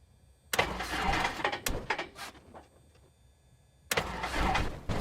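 Two long cranking bursts with sharp pops and no catch between them; the engine is reluctant to start and backfires.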